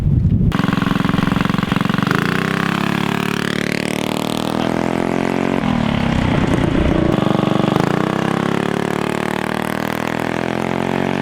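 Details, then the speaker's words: Mini ATV with a GoPowersports Juggernaut torque converter, launch test: the small single revs up smoothly and keeps climbing in pitch as speed builds rather than sticking at one rpm; it felt more normal, though not night and day. "So like if y'all could hear that, it just, I don't know, it felt more normal. Like the engine climbed an RPM as it increased speed."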